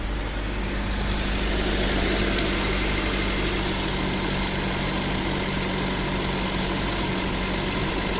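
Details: 2003 Suzuki Aerio SX 2.0L, earlier no-crank with clicking, now started: steady low hum with an even, unchanging beat and no misses, knocks or ticks; normal idle.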